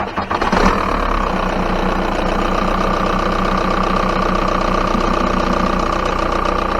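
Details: 1999 VW New Beetle TDI diesel, 5-speed, 27 years old: steady diesel clatter at idle, quick even tick over a low rumble right after start; normal diesel idle.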